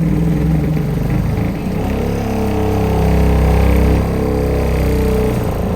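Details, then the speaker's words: Newly installed Remco Aqua-Jet RV water pump in a fifth-wheel storage compartment, also leaking: loud, coarse low drone throbbing steadily, shaking the whole trailer; excessive pump noise and vibration, pump faulty. "Wow. It's cycling on and off, but man, this thing is noisy as hell."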